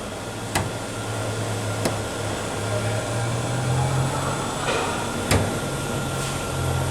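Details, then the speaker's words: GM Cruze with misfire, shaking idle and high fuel consumption, under the car at idle: sharp, irregular clicking knocks from inside the fuel tank, about four in seven seconds, mistaken for exhaust noise; tank flexing under vacuum from a stuck-open purge valve. "parou o barulho mas se sente um barulho no tanque cliente até pensou ah tem um barulho no escapamento veio com falha tá funcionando o carro tá vendo bastante vamos lá ó já vai começar a fazer barulho no tanque de novo escuta uns estalo dentro do tanque tec tec bastante barulho"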